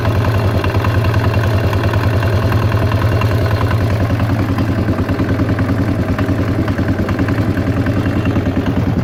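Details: Yamaha XT 600 E single-cylinder thumping steadily near 200 a minute with a clattery edge on every beat. The owner does not know where the strange mechanical noise comes from.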